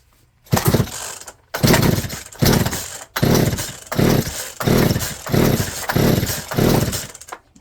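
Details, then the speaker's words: Poulan P3416 34cc chainsaw with new Hipa C1M-W26 carburetor, after setting low/high screws: runs hard at full throttle in repeated bursts then sags toward stalling; won't hold idle, high end good. "Maybe And it yeah does not idle but it's high is good. It likes the high."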